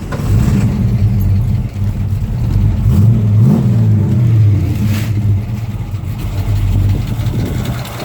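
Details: Freshly rebuilt small-block Ford, warmed up, third start; cam broken in, valves and pushrods adjusted with preload: a light, uneven tick that quickens with rpm and a screeching possibly from a belt. Owner suspects pushrods, lifters, or sticking or misadjusted valves.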